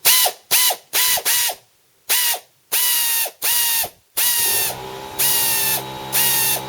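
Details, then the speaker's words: Secondhand 3/8-inch drive pneumatic ratchet on a small compressor with a socket fitted: short bursts of high, even air-motor whir, clean starts and stops, turning both directions with no air leaks; healthy operation. "look at that going to hold it certainly turns the right that way turn it way I can't stop it no air leaks"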